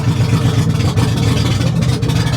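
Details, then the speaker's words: Salvage-auction vehicle at idle: loud, uneven low rumble with a ragged pulse, sounding awful; running rough and noisy, cause not determined. "Oh, boy. Yeah, that sounds absolutely awful."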